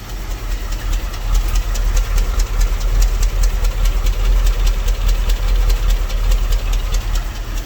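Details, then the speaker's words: Dodge W300 Club Cab V8, not running on all cylinders and smoking with an oil and gas mixture, idles roughly with a deep uneven lope and a pitter-patter: a misfire. "y'all just listen to the pitter patter uh that's that's the miss"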